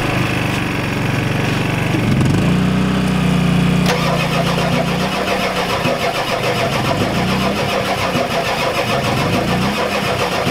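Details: Ford F-250 XLT 7.3L IDI diesel, cold, glow plugs connected, new injectors: long steady cranking about three turns a second, never catches; crank no-start, no fuel through injectors, owner suspects weak injection pump.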